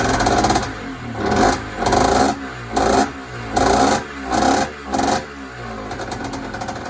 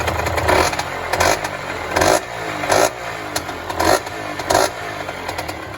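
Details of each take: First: Yamaha DT50 two-stroke on first start after rebuild, stock carb: six sharp rev bursts about once a second, then a light, uneven tickover; the idle screw was out, fixed by turning it clockwise half a turn. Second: Yamaha DT50 two-stroke, stock apart from an aftermarket air filter, on a worn throttle cable: crisp blips about once a second, rising cleanly and dropping back to a steady idle, no knocks or rattles; healthy running.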